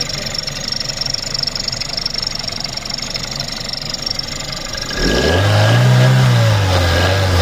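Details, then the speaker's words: Seat 1.4 TSI petrol engine: uneven rattle with thin high squeal over the idle, rising as revved, faint background knock, from the rear area of the engine; exact source unknown. "Also ich denke, man hört es ganz deutlich. Aber es kommt doch definitiv aus diesem hinteren Bereich jetzt hier."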